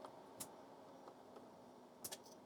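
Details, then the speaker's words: Laser 200 (Dick Smith VZ200) 8-bit computer, not booting, while its address lines are probed after reset: faint irregular random ticks from the speaker over quiet hum. Erratic crash activity is suspected, unconfirmed. "I can hear the speaker was making a ticking noise it's kind of random what this thing is doing"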